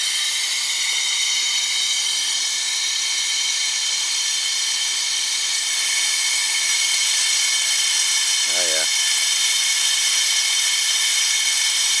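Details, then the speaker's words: Vacuum pump pulling vacuum on 2006 Dodge Caravan AC system during rear evaporator block-off fix: loud, constant high-pitched hiss and whir, even throughout, running normally. "just so you can hear this pump run to grab this I'm going to plug this in here that's it so now it's pulling a"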